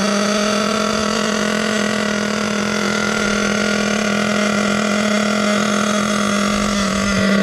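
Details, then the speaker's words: Savage X46 nitro RC truck, three-speed transmission just rebuilt with all-metal gears, first adjustment; steady high buzz with no pitch drop, no audible first-to-second shift, owner unsure if stuck in second, not shifting into third. "so i'm not getting second first into second i'm not hearing it is it stuck in second gear i don't know i know it's not shifting into third"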